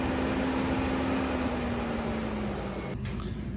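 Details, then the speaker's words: Audi TT Mk1 cooling fans forced on by bridging the thermal switch: steady whooshing fan roar at high speed with the relay clicking in, hum sinking to low speed, which is not relay controlled; fans and relay work normally, thermal switch faulty. "and then this is the low speed you can hear that it's not relay controlled go back to the high speed and you can hear that relay kicking in"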